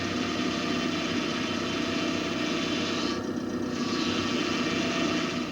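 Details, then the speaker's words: GM power steering: steady, loud, higher-pitched moan with a rough edge, typical of the pump running low on fluid, often in sharp turns at speed; fix by topping up the reservoir and bleeding the system. "O gemido é um ruído de maior intensidade e mais agudo que o rosnado. É semelhante ao originado quando uma bomba de direção hidráulica está operando com falta de óleo ou com nível muito abaixo do especificado."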